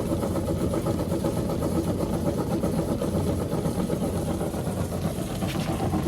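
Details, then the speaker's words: Old obsolete Gem King lapidary saw running with its newly installed replacement drive motor while cutting stone: an even motor drone with a light, rhythmic churn from the blade, unlabored and steady; working well. "Okay, so seems to be making really good progress. Working good."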